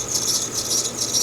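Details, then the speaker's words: 2011 Mercedes-Benz C-Class (probably C300) with damage idles with a high, scratchy, very bad squeal pulsing continuously; idler pulley suspected to need replacement, cause not confirmed. "That's really squeaky. That's crazy squeaky. I haven't heard one that bad in a long time."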